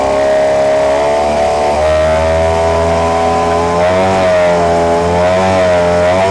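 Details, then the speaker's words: Outboard running in gear at service check: smooth, even buzzing drone rising and dipping cleanly with throttle, no knocks or rattles; motor runs well. "Ну все. В принципе, все 3 мотора работают хорошо."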